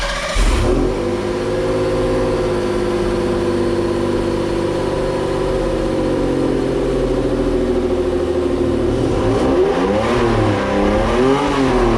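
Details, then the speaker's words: 1991 Toyota MR2 with a swapped Lexus RX300 1MZ-FE V6 and a new ECU, after lowering it off the lift: smooth steady idle, then quick throttle blips that rise and fall cleanly. It runs fine and needs only fine tuning; the owner suspects the alternator is noisy at startup. "and that's what she sounds like so like I said I got to do a little bit more tuning to it not so much tuning but just fine tuning"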